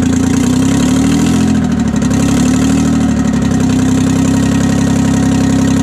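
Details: 1968 Detroit (GM) 3-53T two-stroke turbo diesel, first cold start after total overhaul, engine 4.5°C/40°F, outside -3°C; settles into steady even drone, no misses or knocks, stone cold, good oil pressure, no leaks; normal idle.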